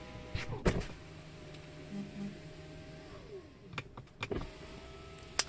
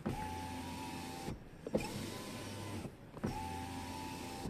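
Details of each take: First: Tesla Model 3 power window, squeaking since new and worse in rain, before silicone lubrication: motor whir with a thin rising and falling squeak from dry, sticky window seal rubbing. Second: Tesla Model 3 window after silicone lubricant on the glass seal to cure squeaking: three smooth, even motor whirs with short stops and no squeak or rubbing; the window runs quietly.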